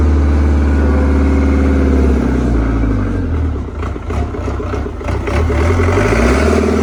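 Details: CAT 307SSR mini excavator with Mitsubishi diesel, after the fuel injection pump was installed to fix a no-start: deep, steady rumble with an even low beat, slight dip and recovery midway, settling into a normal idle.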